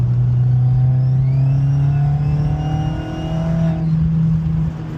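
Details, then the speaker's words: 2001 Audi A4 B5 with stock K03 turbo after boost-leak pressure testing: a faint high-pitched whine climbs with revs and fades off throttle. Owner suspects a dying turbo, with a fin hit by debris. "More than likely a fin or two caught some garbage. Like I said, it was spiking 20, 25 maybe. Probably gave it enough of that thrust bearing to clear up some gump and dirt and grime. And you can hear it right now, right here."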